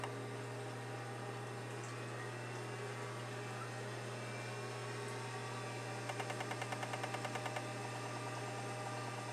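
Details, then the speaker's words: Seagate ST-225 hard drive (possibly 1986) with a burnt circuit board from an overheating chip, still formats and boots; at power-up, steady spindle whine then a quick even burst of about a dozen head ticks, a normal, audible seek test for this model. "yeah some of them you can hear do a seek test like that and some of them you can't some of them are real quiet this this one and the other one i didn't know you could hear it but that's perfectly normal for the st-225"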